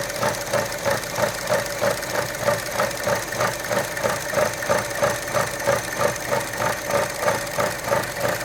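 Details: 2012 Chevy Cruze Gen1 1.4 petrol, warm idle with dipstick out: uneven pulsing lope about three surges a second, rough only with dipstick out; sprayed oil from dipstick tube, owner suspects failed PCV check valve or cam cover seal.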